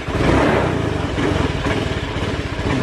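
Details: Honda Beat FI scooter that won't idle: revs rise then sag unevenly as throttle opens, nearly stalling.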